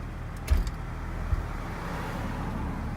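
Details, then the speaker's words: 2001 BMW E46 automatic at idle with rear raised: single dull driveline clunk when shifting from park into gear, mainly into reverse, barely heard into neutral or drive; owner suspects differential. "It's only like when I go to reverse."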